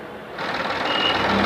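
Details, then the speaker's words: Chevrolet Beat 3-cylinder diesel engine after repair of a hunting problem: steady, even diesel clatter at idle with no hunting or surging, earlier puffing gone, smoke looks fine; healthy smooth idle. "यहाँ पर देख सकते हैं मैंने हाथ लगा लिया है, देख रहे हो यहाँ पे अब कोई वो चीज़ नहीं है जो पहले पप हो रही थी। तो सही चल रहा है, बिल्कुल धुआं बढ़िया निकल रहा है, कोई दिक्कत नहीं है।"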